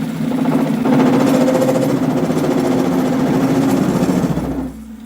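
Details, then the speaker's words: 7x14 two-speed mini lathe after motor upgrade and belt adjustment: motor hums steadily with uneven rapid chatter, about three or four rattles a second, from play in worn, loose gears; worn gear chatter. "that chatter's all play. We'll see if we can fix it."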